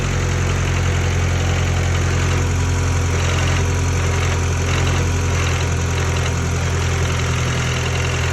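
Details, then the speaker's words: Hatchback after cam seal and timing work, cold start; steady low idle with light background rattle, even firing, no misses, no leaks seen, normal cold-start idle. "Oh, she's a little up there, but it's a cold start. Let her warm up. See where the idle's at."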